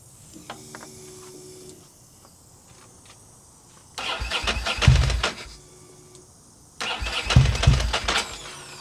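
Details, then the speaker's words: Ducati Monster 900 with a fuel problem, after its injectors were tested and cleaned. With the choke fully on and fuel pressure holding, two bursts of uneven cranking occur without the engine catching. Cranking, slow to start. "We put the choke on. Choke on all the way. Fuel pressure is maintaining. There we go. Got it running."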